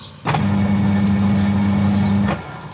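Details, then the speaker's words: Automatic washing machine after replacing the loud motor (old motor's bearing suspected, wash shaft fine): the new motor starts cleanly and holds a steady, even hum for about two seconds, with no grinding or bearing noise. "ไปได้เรียบร้อยครับพร้อมเปลี่ยนมอเตอร์ครับเสียงดังยังก็เหาะไม่มีแล้วนะครับ"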